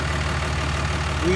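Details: 6.4 Fummins 24V diesel with 5R110W transmission after torque converter replacement fixed stalling in gear: deep, even idle in Drive holds steady without sagging or stumbling, truck moves; normal idle in drive.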